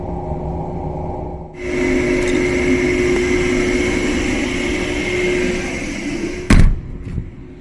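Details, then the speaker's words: Rooftop A/C DDC chilled water valve actuator, float switch wired in series; after propping float closed the valve, releasing it lets the actuator drive open again: steady electric whir about five seconds ending in soft clunk. Normal valve actuator operation. "You can hear it driving that valve open. You can see the indicator going back to its position it's calling for. And it would appear that it works."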